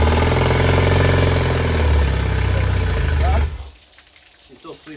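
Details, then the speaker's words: Yamaha T50TLRD 50 hp outboard after head decking and new head gasket, compression restored: uneven, limping beat around four pulses a second before dying; still missing on one cylinder, suspected dirty injector or high-speed circuit needing cleaning. "did she start peeing by the way that it sound like it's still missing"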